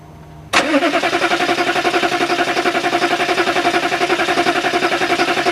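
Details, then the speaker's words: Diesel engine just fitted with a new, dry fuel filter, on a battery down to one bar of three. Steady starter cranking with even pulses about 220 a minute, and it never catches. Owner suspects air from the dry filter; nothing comes from the bleeder. "CR her up guess because the filter is dry it's got to fill up diesels don't like air"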